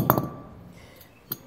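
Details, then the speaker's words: Mitsubishi Triton wheel hub during heavy service, rocked by hand: a few sharp, fine metallic clinks from excessive play in the worn hub bearing; hub replaced. "Esse barulho fininho aí, sinal de folga."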